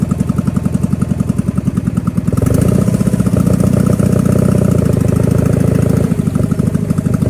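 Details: Power King 2417 economy lawn tractor after new starter, fuel filter and carburetor cleaning: even, regular firing thump that picks up speed cleanly and holds steady with no misses; engine running normally.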